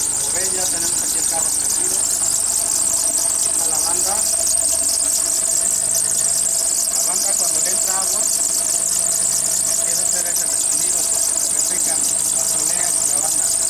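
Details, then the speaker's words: Car idling with a continuous high shrill squeal from the belt slipping after getting wet, recorded before applying cornstarch to the belt as a fix. "Ahorita vamos a ver cómo se oye el rechinido antes de echarle. Para que vean la diferencia."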